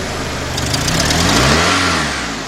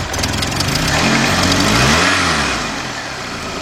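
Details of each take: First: 2002 Honda Accord 2.3, after a cranks-no-start fault where bad spark plug wires were found: now running, but a throttle blip climbs slowly, peaks and falls back without crisp pickup, as if wanting to stall; fuel pressure still questionable. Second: 2002 Honda Accord 2.3 with cranks-no-start after losing power and shutting down, now running after finding bad spark plug wires and cleaning the plugs: a short crank, then it catches and idles. It threatens to stall on throttle, and fuel pressure is still questioned.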